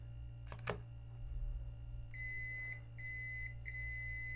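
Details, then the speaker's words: Discarded multiplug with overload protector, multimeter continuity test on earthing line: after a couple of clicks, three clean high steady beeps about half a second each, stopping when released; continuity good, circuit fine. "তো শুনতে পাচ্ছেন, ছেড়ে দিলে শব্দ বন্ধ, মানে already আমরা কি বুঝলাম, আসলে কিন্তু এই মাল্টিপ্লেক্সটা খুব ভালো আছে, ভালো মানের মাল্টিপ্লেক্স।"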